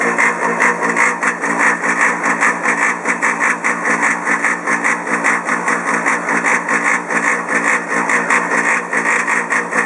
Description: This is the quiet model and after only a few years it began making an incredibly loud noise.